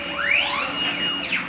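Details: CNC plasma table with ClearPath servo motors, trial run cutting a circle with the plasma off: smooth whine climbing and falling as the gantry sweeps the circle, no grinding or clunks; normal servos.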